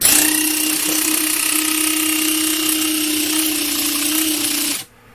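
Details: Xiaomi MJCQB02QJ electric inflator after battery replacement and protection board reactivation, E8 code cleared: steady, even ~300 Hz motor buzz that cuts off cleanly; normal running.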